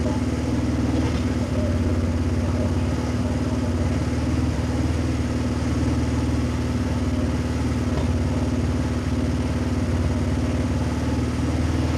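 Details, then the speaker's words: Kazuma 150cc Chinese quad, after carburetor clean and new battery but before oil change, idles smoothly and regularly with no misses or rattles, heavy rain faintly audible; running clean, normal idle. "That sounds pretty clean. I haven't even done the oil change yet. All right, I know it runs."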